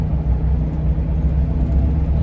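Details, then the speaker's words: 2001 Ford camper van at city speed, not on freeway: steady low howl above deep road rumble, caused by wind over the roof rack. "y'all hear that see y'all hear that that's the roof rack"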